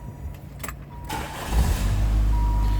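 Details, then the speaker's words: 1989 Chrysler TC by Maserati with 43,850 miles, started from inside the cabin; brief cranking, then it catches quickly and settles into a smooth, even idle, starting cleanly. "Go ahead and start it up. Good running car."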